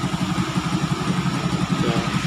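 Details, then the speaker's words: Honda XRM 125 after CNC bore, light porting so the piston clears and one head gasket instead of two: steady even single-cylinder putter, light mechanical patter, no knocks; quiet smooth idle, some smoke, ready for use. "Isang gasket lang nilagay natin, wala nang kawala. Tahimik na yung andar niya. Magagamit na to."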